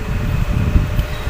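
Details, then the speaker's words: Chinese-brand electric fan that spun very slowly, repaired with a new capacitor and cracked blades glued and reinforced, running afterward on speed 1: steady low hum, even whoosh, no rattle or surging; normal strength. "ตัวนี้ก็แรงปกติแหละครับเนี่ยแรงปกติแล้ว"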